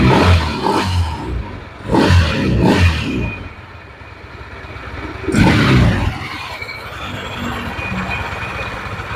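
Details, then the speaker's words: Yamaha NMAX scooter, owner complained of extremely rough engine sound: coarse, clattery note through several short revs and back to idle, roughness still present with CVT pulleys removed; internal wear suspected, not confirmed. "So I just use the front 4 of course to turn it on, right without using Pap or pulleys on the back, the sound seems to still be clear. The rough sound is like this."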